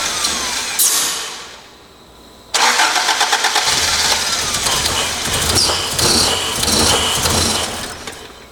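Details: Toyota AE86 project car, first start attempt after long storage with ethanol fuel, fuel pump working: starter cranks in a rough, uneven rhythm about three beats a second but engine never catches; no-start, cause not confirmed.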